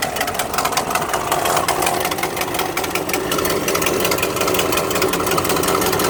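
Fast, sharp puffing tick at idle, dry and ragged, riding on the engine note; sounds like an exhaust leak. Cause suspected, not confirmed.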